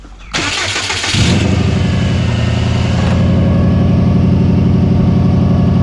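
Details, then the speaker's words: Turbo Subaru misfiring at idle, with coil packs being unplugged one by one to find a bad one. It cranks, catches and settles into a lumpy, uneven idle stumbling about four times a second. Later traced to a failed idle air control valve. "this baby is misfiring so check all your sparks check your injectors"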